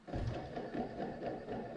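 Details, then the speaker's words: Warm removed AC Delco remanufactured alternator from an '85 Camaro IROC, spun by hand: rough gritty whirring rattle with case wobble, worn noisy bearing behind whining and fluctuating voltage. "you can hear the the bearing is definitely noisy and loud so that ain't good so this is bad"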